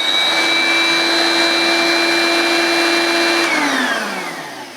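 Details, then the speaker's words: 1980s Hoover S1083 Brushvac mains-powered handheld vacuum with belt-driven brushroll, first switch-on: steady high clean motor whine, no rattle or grind, smooth spin-down when switched off; motor healthy, belt needs replacing. "okay that sounds okay to me I couldn't see if the brush roll was rotating so I'll turn it on again and we'll just see if the brush is"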